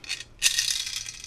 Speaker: when I throw in other things it makes that nasty sound and they get like two rotations